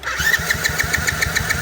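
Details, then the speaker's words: Kayo small ATV that had been sitting, cranking with choke off: steady rapid chug about seven compressions a second, never catches; cranking no-start, suspected bad gas or gunky carb, spark believed present. "Still nothing. So it's either bad gas, gunky carb, or no spark issue, which I think it's getting spark, so I don't think that's the issue."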